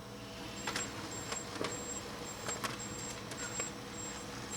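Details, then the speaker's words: Brother HL-5250 laser printer after a new toner and drum are fitted, with a cycle started by holding the Go button until all lights come on: quiet clicks and short high whirs at irregular intervals. This is the normal cycle before it prints a sheet. "And then it'll cycle, you hear it? It cycles, and then it will print a sheet, and you know you're ready, and you can go ahead back to your normal activity."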